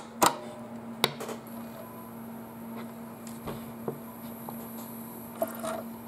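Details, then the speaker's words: Sony PlayStation with a previously noisy laser/optical pickup after cleaning and regreasing, loading Resident Evil 3: very quiet steady hum with a few soft clicks and seek taps; the drive reads smoothly. "it's really quiet guys you can hardly hear it"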